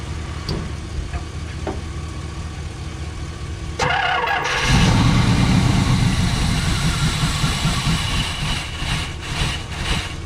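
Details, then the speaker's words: 1978 Pontiac Trans Am 4-speed, first start in years, primed with gasoline down the carburetor and ignition timing backed off; vacuum lines not yet checked. It cranks, catches, flares on a throttle blip, then settles into a steady, even V8 burble. Normal idle. "well i'd have to say that's uh that seems to be a good motor um there is nothing crazy going on"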